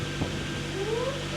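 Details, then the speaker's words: NB drift car first started after a fuel system refresh with a new Deatschwerks fuel pump and filter, plus a pilot and throw-out bearing replacement: a thin whine climbs in pitch over a low idle rumble. The new fuel pump makes a funny whine. "yeah that that makes such a funny noise back up"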